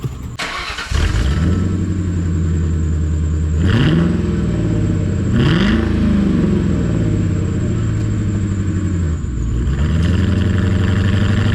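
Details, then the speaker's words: 1996 Mercury Cougar XR-7 4.6L V8 with muffler delete, after washing under the hood, codes P0301/P0300 and P0171: it starts and idles with a lumpy, uneven misfire through throttle blips, even after a temporary wiring connector repair. It still needs plugs and its chewed-up wires. "Well, it's still misfiring, so it still needs plugs and wires, but I tried."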